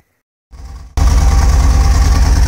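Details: Mercedes-Benz CLK W208 with the M111 engine catches and settles into a low idle with a pulsing, slightly uneven beat: an engine misfire at idle whose cause is still being looked for.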